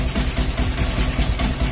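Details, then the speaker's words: Motorcycle (CUZ) after cleaning the ignition magneto/coil and refitting the airbox hose: steady, even low idle pulse, earlier ticking/tapping gone; timing turned down slightly as it rises when hot. Normal idle. "Memang cun-cun. Ha. Bunyi tape pun dah hilang dah. Ha. Yang biasalah geng."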